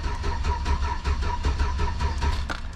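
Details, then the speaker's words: 2004 Chevy Silverado 1500 Copart buy: the starter churns steadily at about five beats a second for nearly three seconds and never fires. The scan tool shows code P0335 for the crankshaft position sensor circuit and no RPM reading. Owner hopes a bad crank sensor is the cause, unconfirmed. "so we got that on there current and also stored or pending so I'm hoping this thing just has a bad crank sensor because I don't see the RPMs moving at all"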